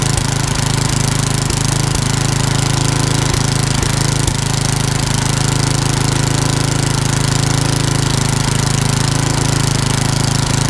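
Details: Old rusty Tecumseh 10 hp HM100 after a genuine Tecumseh carburetor replaced a rusty knock-off and the governor linkage was fixed: strong, steady low thump at constant speed with no hunting or misfire, running smoothly.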